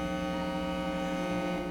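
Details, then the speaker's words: 1934 Crosley Model 179 tombstone radio, shipping-damaged, during first repair: loud steady mains hum with buzzy overtones and hiss heard through signal tracer; static on tone switch, volume control suspected bad; cause unconfirmed. "it's really noisy and they hook up"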